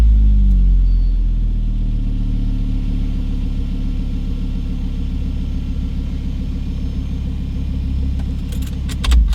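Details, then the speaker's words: Volvo V50 T5 cold start after sitting about 18 hours, windows down, wind guard removed from the microphone. It settles into a low, even idle rumble with no exhaust manifold squeal or whistle, sounding normal. "you guys heard that absolutely no squeal today"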